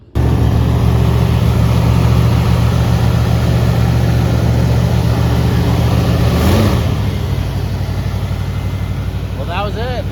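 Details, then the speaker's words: 1967 Mercury Cougar V8 after replacing a bad Pertronix igniter: it fires immediately and settles into an even, steady rumble with no misfire. Owner suspects a bad ground, wiring issues or heat killed the old unit. "that was our issue definitely a bad igniter by protronix but new one works now"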